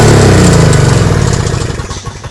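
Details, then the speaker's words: Toro CCR 2450 two-stroke snowblower after repair, on fresh 40:1 mix with stabilizer (spec 50:1); runs steadily, then rapid pops slow and fade as it winds down: fixed, normal running. "that's fixed it's done"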